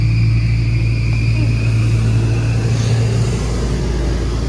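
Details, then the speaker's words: 1993 Nissan Pathfinder stored about six years: a steady high whine over a low hum with no cranking rhythm or firing; the starter spins without engaging. Owner suspects the clutch safety switch or a relay behind the charcoal canister; not confirmed. "last I heard the starter didn't work but it spins and they didn't tell me that it's spun"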